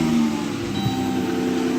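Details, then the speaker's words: 2016 Dodge Grand Caravan at idle, transmission fluid slightly high but not burnt: steady high-pitched whine at one pitch like an old power steering pump or supercharger, from the front of the transmission; cause uncertain. "it sounds like an old Ford power steering pump but it's coming from the front of the transmission"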